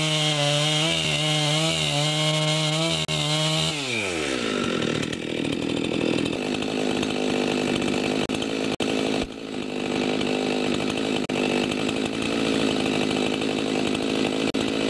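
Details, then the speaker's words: Husqvarna 257 57cc chainsaw after turning in the low carburetor screw because it ran a bit rich: crisp high two-stroke scream dropping in pitch as it cuts wood, pulling steadily without bogging; normal running. "I just finished adjusting the carburetor that was running a bit rich so I turned in the low screw just a bit and I'll just take it out for a test run"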